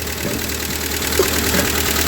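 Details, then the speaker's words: Ford 2N tractor engine idling briefly with belt off and generator removed, water pump not turning; steady, even idle with a firm mid-pitched beat, no misses or surging, healthy; strong oil pressure reported. "well what do you think of that she's running"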